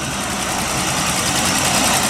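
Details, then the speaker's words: 1946 Plymouth Special Deluxe, 3-speed column shift in neutral, temperature steady at 160, good oil pressure, generator charging: old six-cylinder at smooth, even idle, no miss or knock, no smoke; healthy. "So there's the car at idle. Everything looks good."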